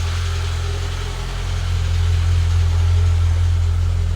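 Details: Citroen ZX Avantage 1.4i TU3 petrol engine at first start in about 6 months, battery just reconnected: steady, even low idle, smooth regular beat about 214 per minute, no misses or knocks, no warning lights, no exhaust smoke; healthy normal idle.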